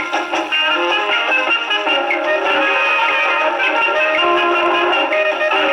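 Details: Rebuilt HMV No. 4 reproducer with owner-reported buzzing and distortion, isolator gasket modified to fit tonearm, on Victrola VV-50 with new mainspring, slightly worn record: music plays cleanly with steady surface hiss, no buzz or rattle on loud passages; fault not reproduced.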